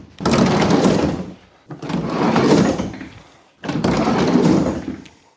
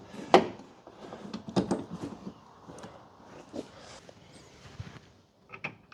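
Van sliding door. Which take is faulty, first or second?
first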